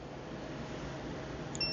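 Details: STACYC 12/16eDrive kids' electric balance bike, brushed motor, after replacing a tripped fuse: one short high beep at power-on in a quiet room; the controller boots normally and it should start normally.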